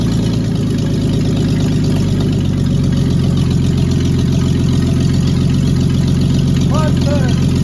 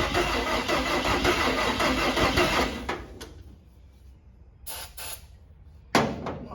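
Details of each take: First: Cab-over van conversion, running after the distributor cap was refitted (a vacuum leak was mentioned earlier): steady, smooth low idle with no ticks or misses and 40 lb oil pressure. Normal idle. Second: Cab-over van engine on a temporary fuel can line after the carburetor was opened: about three seconds of even cranking that never catches, with the battery weakening. The fuel pump is not delivering fuel; a clogged filter is suspected.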